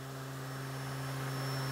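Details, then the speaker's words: Spindle test rig: 7.25-inch shaft on externally pressurized porous air bearings, driven by an 18,000 rpm motor; encoder reads 14,000, meaning 7,000 rpm, then 8,000 rpm; smooth even hum with thin steady whistle; normal high-speed run, under 50° temperature rise. "the encoders reading 14,000 so that's 7,000 rpms now there it is 8,000 rpms"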